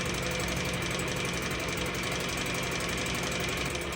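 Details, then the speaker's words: 1966 Mercury 3.9 hp single-cylinder two-stroke outboard in a test barrel, about 30 degrees, pumping good water; quick steady putter with a light metallic rattle, even rhythm, no stumbles, idles down great. "Just gotta love old Mercs. Second bowl, 30 degrees, and idles down great."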